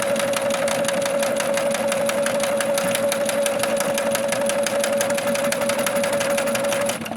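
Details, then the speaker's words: Sewing machine after cleaning and oiling, stitching at 2.5 and 3.5 width; fast steady clatter of the needle mechanism, about three beats a second, rattly throughout though running evenly, cause of clatter unknown. "I'm at 2.5 and 3.5 width, So it's really tight, but there's some clattering that's going on, which I don't know what it is."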